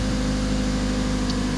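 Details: Ford Focus that previously had hard starting with long cranking, after a fuel-pump-related fix: now starts on one click with a faster response and settles into a steady, even idle with a smooth low hum and no stumble or misfire. Normal idle.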